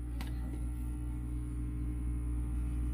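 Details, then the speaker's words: Rockola expandable amplifier with nothing playing and volume off: constant low mains-frequency buzz as the AC cord is pulled; hum blamed on poor grounding and unshielded wiring near the AC secondary. "Kasi yung iba, pag tinanggal na itong AC cord, ay may maghahaming, no?"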